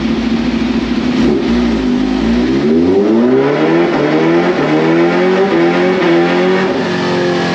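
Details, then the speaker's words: 2022 Kawasaki Ninja H2, supercharged, warmed up, stock ECU, revved outside before a dyno run that made 196 hp: note climbs smoothly, then hangs and wavers at one pitch instead of rising; rev hang from factory ECU throttle restriction at high rpm. "Now you can hear in the video, the thing revs up, sounds like it's normal, everything is going good, and you just hear it like literally hang."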